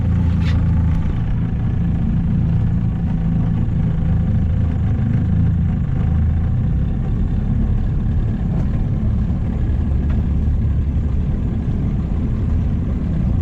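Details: Outboard on a $700 auction boat at full throttle on the lake: coarse roar, ragged underneath, misfiring; the owner suspects it needs carb tuning or time to burn deposits off.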